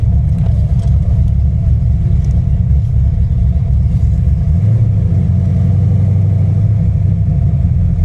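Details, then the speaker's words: V8 with a big solid roller cam and an ACES Killshot fuel-injection kit, heard while driving: a deep, choppy rumble with an uneven loping beat, normal cam lope with nothing abnormal. "they just have their own tuning quirks they all do listen to that cam y'all listen"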